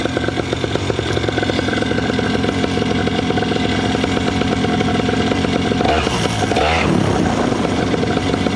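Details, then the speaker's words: Paramotor two-stroke warming up at steady fast idle after a cracked exhaust was patched with high-temperature JB Weld; light metallic rattling on top, owner suspects the exhaust bouncing rather than carabiners. "maybe it really is just the exhaust bouncing around that I hear because they do that you guys can probably hear it in chat too right that like rattling sound"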